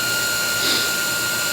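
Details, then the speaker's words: Tank pump running after its floats were flipped into the proper position: a steady hum with a constant whine and no surging. The water level falls as it pumps out to the street and the lagoon, so it works normally. "The pump is doing its job. The water level's decreasing in the tank. It's pumping out to the street and away to the lagoon."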